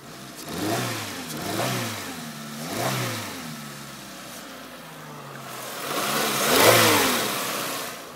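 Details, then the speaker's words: Peugeot 306 with misfire, slight smoking, revved in short blips: each rise and fall slightly uneven and ragged, rough running. Owner suspects spark plug ticking inside the coil pack causing splutter, unconfirmed. "i'll show you what it sounds like when there when i rev it i think it's quite running a little bit rough"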